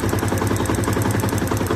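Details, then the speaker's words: Yamaha FZS FI motorcycle at idle: a fast, sharp, even ticking from the engine, many ticks a second. Others blamed valves or the fuel injector; the actual source is the auto choke. "ইঞ্জিনের এখান থেকে আওয়াজটা আসতেছে tick tick tick tick tick tick করে।"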